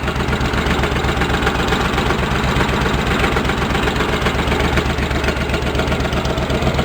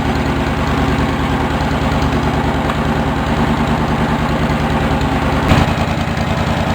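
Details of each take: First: Engine of a Cub Cadet 1650 being built into a 4-wheel drive, idling about 15-20 minutes: owner unsure if it is engine knocking, faint irregular tapping about four times a second over the engine beat; source unclear. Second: Engine of a Cub Cadet 1650 4-wheel-drive build after running over an hour: steady, even idle thrum with no knocks or misses; normal idle.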